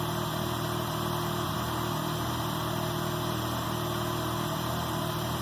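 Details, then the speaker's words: K24-swapped Honda Insight on Speeduino, sequential ignition, after valve adjustment: smooth, steady idle with no valve tapping over the hum; previous tick gone, normal running. "So there we go. We got her running again. Seems like everything's okay. Sounds good. The tick is gone, so my valve adjustment works."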